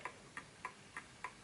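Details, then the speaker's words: Smiths Enfield oak pendulum mantel clock after nudging the case level: crisp, evenly spaced ticks about three per second with no limp; clock running in beat. "So it has to be a perfect ticking clock, because that's when it's"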